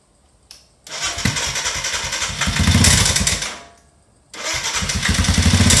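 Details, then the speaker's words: Royal Enfield Himalayan 410cc single-cylinder engine started to diagnose a terrible knock: loud, rough rhythmic knocking; timing chain considered, but piston slap found, with piston crown chunks missing and a suspected crack near the gudgeon pin. "could be timing chain and here's the problem a little bit of piston slap going on there and the top of the pistons got big chunks out of it on both sides inlet and exhaust"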